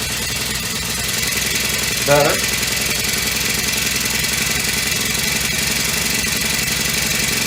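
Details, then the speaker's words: Honda FG100 four-stroke mini tiller after valve repair, idle turned up, choke off: single-cylinder engine runs at a steady, even pace with no knocking or surging, much quieter than before the repair. "much quieter than it was yesterday when it had no valve"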